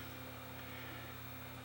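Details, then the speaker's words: No-name hot air rework station with variable fan speed, set to 470 °C, fan turned down to low speed: faint, steady low hum with a soft, even air hiss and no rattle. Fan turning smoothly and running normally. "One thing that's nice about it is it does have a variable speed. So you can crank it up, and that is hot. Or turn it right down."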